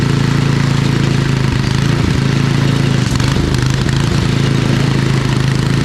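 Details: Old MTD Snowflite 826 snowblower, 8 hp, 26-inch cut, carb good, choke off, blowing snow: loud, steady low single-cylinder drone under load, even speed, no surging or misfire; normal running.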